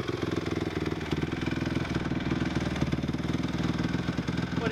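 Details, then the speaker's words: Honda CRF250 single-cylinder motorbike just out of storage, choke off: steady even idle thumping about four times a second with no knocks or misses, idling pretty well; normal idle. "yeah so it idles pretty well goes alright"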